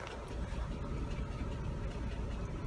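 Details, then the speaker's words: 1998 Chevy Cavalier running rough, stalling and lacking power with check engine light: rough, uneven idle with a lumpy stumble; scan shows current misfires mainly on cylinder 4, plus 232 on number 3 and 76 on number 2. "number 4 is misfiring its ass off. You see that? Okay, that's current. Number 3 has 232 misfires."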